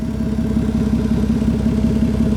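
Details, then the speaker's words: 1992 Toyota Aristo 6-speed at idle: loud, raspy exhaust pulses from a big exhaust leak underneath; the exhaust dump cutout appears stuck in the open position. "There is a big exhaust leak and it's coming from down in there, so you can hear the exhaust very noisily from here."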